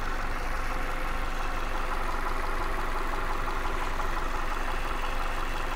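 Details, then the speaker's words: 2016 Ford Transit Connect XL cargo van, four-cylinder, about 65,500 miles, with a clean, well-maintained engine bay: a low, even idle with a smooth, steady beat and no knocks or ticks; a quiet, healthy engine. "engine bay is pretty clean it looks like it's been maintained pretty well engine's really quiet runs and drives awesome"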